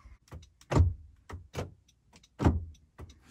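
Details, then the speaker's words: 2018 Honda CR-V, driver's side rear door lock actuator, tested while the passenger front one fails: crisp, solid, quick, complete clunks each time the lock cycles; works normally. "This is the driver's side. It works. Driver's side rear works."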